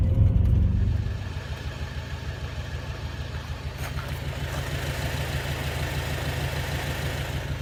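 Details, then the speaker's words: 2006 Acura TSX at idle before repair, engine shaking: uneven, stumbling pulse with dropped beats. "Ah, sounds awful. Oh, that thing's shaking. That's how badly that's misfiring."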